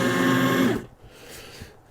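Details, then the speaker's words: Well-used, grimy Fellowes P-7C home office paper shredder with a 3-position on/off/reverse switch: steady motor whir with a low hum that cuts out; it runs only in reverse and forward won't engage. "The switch is a 3-position switch: on, off, and reverse. It starts going. You can hear the motor running."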